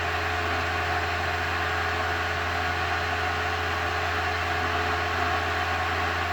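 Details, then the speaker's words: Restored VW Thing Eberspacher BN4 gasoline heater after shutdown, flame out: steady even fan rush with constant low hum, no combustion rumble, cooling down; normal cool-down. "Rumbling's completely gone. Fire should be out. Now it's just cooling it off."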